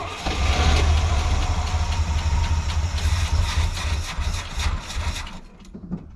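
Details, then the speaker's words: Squarebody C20 V8 truck, first start after sitting for years: fires and runs rough, loping and sagging, then dies; owner suspects tank fuel is low so the pickup tube isn't getting fuel. "well i at least got it to run long enough to move it but i'm gonna fire it up again back it up a little more and see if i can get it to pick up fuel from its own tank i think it's a little low so it's not actually getting fuel to the pickup tube"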